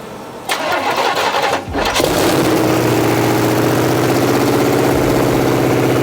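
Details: 1986 Chevy C10 with replacement small block 350 V8 first start in decades; brief crank, fires first try, settles into an even but slightly fast idle, some smoke, likely dust.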